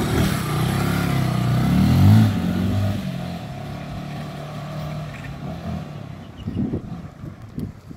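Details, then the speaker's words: Kawasaki Rouser 135 that was dying and misfiring, after repair and warm-up: single-cylinder thump revs briefly then holds a steady idle around 1,500 rpm without stumbling; engine and carburetor in good condition; normal idle. "Menor niyan ang idle Pakita mo to bro So walang galawan yan mga bro walang galaw 1.5 ang RPM niya aan So ibig sabihin niyan Maganda talaga yung kondisyon ng makina tsaka yung karburador natin"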